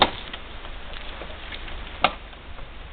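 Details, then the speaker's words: Two sharp, separate clunks from the rear of a Yamaha Venture touring motorcycle as it is rocked by hand in a quiet garage, after hitting a buckled-pavement highway bump; suspected drive shaft or rear drivetrain lash. "with Nutella is somewhere in the back drivetrain suits the engine"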